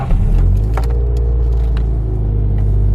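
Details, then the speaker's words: Toyota MR2, started for the first time in three weeks on a cold morning at about 14°C: brief crank, instant catch, then a steady smooth low idle within half a second; a clean, healthy cold start. "I started up at like 7:30 or something this morning in the cold, like 14 degrees Celsius, and this car started up so quickly."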